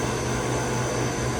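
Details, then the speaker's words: Walk-in freezer condensing unit with a Heatcraft QRC controller, both condenser fans spinning: a steady fan roar and low hum with a thin high squeal on top. The condenser fan motor bearings are going bad, two motors failing, and the condenser is wet. "Yeah, we got 2 motors going bad in this bad boy. Oh, and we have a wet condenser. It's very interesting because the squeaking was from this one, but I hadn't pulled the cover off yet."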